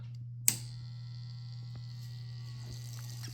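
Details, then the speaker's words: Dreame L10s Pro Ultra Heat robot vacuum 5V water pump, after priming its tube with water: click at switch-on then steady low hum with faint whine, sound changes as water flows into tank; normal pump running. "Ah, the sound changed. And voila, you see there is water actually flowing inside the tank. And the tank is filling up."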